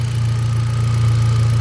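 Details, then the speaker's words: Hyundai Accent gasoline, cranked-no-start fixed by swapping the fuel pump relay with the horn relay: smooth steady low idle hum with no miss or stumble; healthy idle, no misfire. "Walang palyado. Okay naman yung makina. Oh ayan walang problema sa ngayon."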